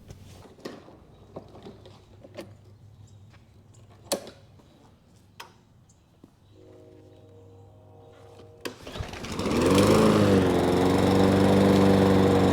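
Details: Lawn mower with new Amazon replacement carburetor, fitted with parts from the original Briggs carburetor, gives quiet clicking, then fires up and settles into a steady, even run with no stumbling.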